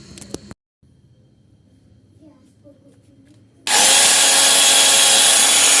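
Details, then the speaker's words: Maktec MT90 angle grinder starting with a loud, rough, heavy growl; late carbon brush replacement left the armature commutator worn and uneven, and a replacement armature has been bought. "Nah jadi suaranya agak e ngorok terus agak berat juga jadi ini dikarenakan Saya meng ee telat mengganti karbon brush jadi merusak si armatur itu jadi Ee tidak rata ya"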